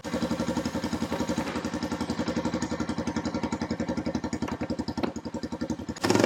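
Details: Honda TRX350 ATV after carburetor cleaning, still won't rev up: slow lumpy putt-putt near four beats a second, uneven and hunting, never picking up; owner suspects too little back pressure for the carb slide to lift, or valves needing adjustment.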